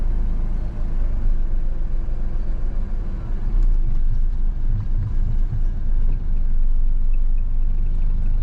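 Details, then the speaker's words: Low, lumpy idle barely holding on after a jump start, smelling fuely; engine is down on compression from engine damage and needs a rebuild. "That's too low, but it's idling."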